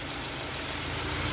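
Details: Peugeot 307 SW with antipollution fault, MAP sensor replaced without change, reading over 400: steady but uneven, limping lumpy idle under a hiss; mechanical cause, top overhaul with valve work.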